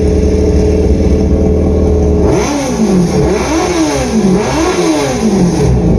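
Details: Generation 1 Yamaha FZ1 replacement engine; steady smooth idle, then repeated crisp blips, revs climbing and falling cleanly without misfire or rattle; sounds healthy.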